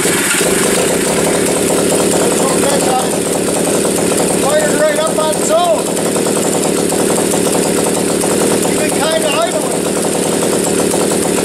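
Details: Motorcycle that likes a little choke when first fired, running on old unchanged oil: ticks over at a fairly even idle with a steady exhaust beat and no knocks or misses, running reasonably well.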